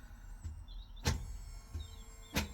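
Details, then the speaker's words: Fiat 500 automated gearbox after clutch replacement, which was stuck in neutral before; after clutch bleeding, calibration gives short electric whirring bursts with sharp clunks about every 1.3 seconds, actuator shifting through gears normally. "As you can hear, it's going through the gears after I bled the clutch to calibrate all,"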